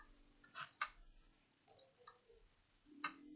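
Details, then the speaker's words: Acer Aspire 5349 laptop on boot: a few sharp, isolated clicks about a second apart in a quiet room with no spin-up hum, while it hangs on the boot logo; a faulty hard drive is suspected. "here i'm not sure if you can hear okay there's a clicking sound turning on and as you can see it's stuck here on the boats logo"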